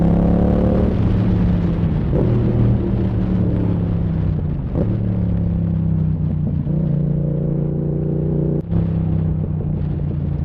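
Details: Yamaha MT-07 with Zard exhaust, riding in 2nd, 3rd and 4th gear: sharp cracks and backfires from the exhaust as revs fall off.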